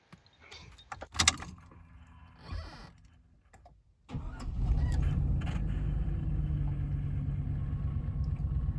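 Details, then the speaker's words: Chevy Trailblazer EXT 5.3L V8 after replacing both downstream O2 sensors: catches quickly and settles into steady, even low idle without misses or ticks, running great. Normal idle. "running great all right everything is running good"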